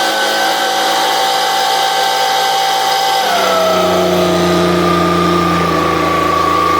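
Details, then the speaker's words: Stihl BG86 blower two-stroke, restarted from flooded after carburetor diaphragm work: high buzz wavers, then pitch drops and hunts unevenly; still running rough, something else wrong. "s hmm no it's got something else wrong with it too"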